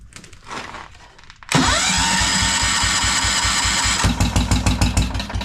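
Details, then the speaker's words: 1973 Wheel Horse tractor's rebuilt Kohler 10 hp single-cylinder on a cold day, fitted with a Chinese carburetor the owner suspects; spark present. Catches after cranking, runs rough, about three pulses a second, only on starter fluid. Cause suspected, not confirmed. "That caught on fire. It'll only stay running with starter fluid."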